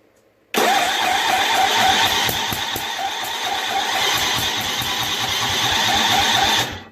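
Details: Snapper 25066S riding mower, 6HP Tecumseh engine, after rat-chewed magneto replaced and new battery; carb cleaner sprayed in, choke stuck open; steady starter chug, about five or six beats a second, never catches: no start, clogged carburetor.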